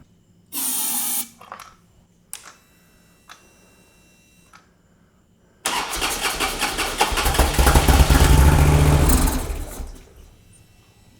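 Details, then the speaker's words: Harley Road King, roughly 2007–2009, sat over four years. Short cranking bursts, then it runs a few seconds on starting fluid and dies, so it has spark but fuel is not reaching the injectors. Varnished fuel is suspected of clogging; the likely next step is cleaning the injectors. "I have a feeling that gas is not flowing through there because something is clogged yeah and you take that gas line off and smell a varnish was thick"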